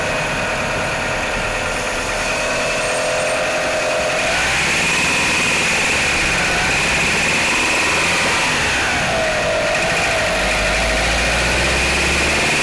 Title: Mitsubishi Outlander 4g63 - knocking sounds on cold start